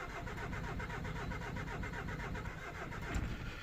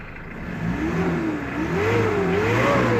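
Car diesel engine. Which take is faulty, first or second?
first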